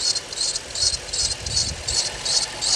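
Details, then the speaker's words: 2006 Chrysler 300, high mileage, recently fitted new water pump: sharp high chirp two or three times a second over quiet idle; suspected slipping belt or dry pulley, not confirmed. "from the sound of this yo hit that guy that sounded like a Hemi oh with a belt noise in fact let's go take a look"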